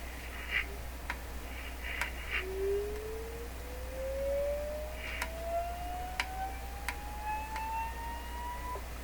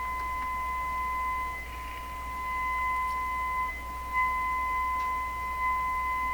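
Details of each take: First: DeForest 10DA517 AM radio speaker, cone soaked for a suspected voice coil rub. An oscillator sweep rises to about 1 kHz with buzzy overtones, and the cone buzzes at three resonance points. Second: DeForest 10DA517 AM radio speaker after soaking the paper cone to cure a suspected voice coil rub. A 1,500 test tone plays pure and steady with only a faint low hum, no buzz or rattle. Clean tone.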